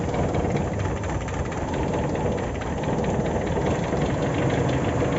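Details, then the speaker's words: Toyota Kijang Super engine at raised idle, uneven lumpy rumble with faint tek-tek ticking near the ignition leads; owner suspects leaking spark plug or coil wires, not yet replaced. "Ini posisi mesin saya rada ginjal karena ada indikasi kebocoran kabel busi ataupun kabel yang arah ke kuil."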